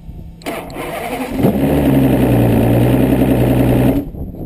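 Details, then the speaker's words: 2004 Evinrude E200 outboard, 140 hours, previously cranking but not starting, after installing a new solenoid: key on, fuel pump runs its sequence, short crank, then catches at once into a steady even run; clean normal start. "Ahora abrimos el switch, baja la bomba de gasolina, acaba la secuencia y arrancó nuevamente."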